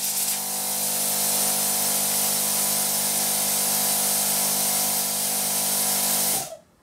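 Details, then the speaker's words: Built-in air compressor of a HITBOX 2-in-1 50 A plasma cutter running on its internal air supply, double-piston design; steady airy hiss over a smooth, even, quiet motor hum that cuts off cleanly; normal compressor running with air flow. "that's pretty cool is it yeah look at that double winded piston that's that's that's pretty cool and that's quite quiet too"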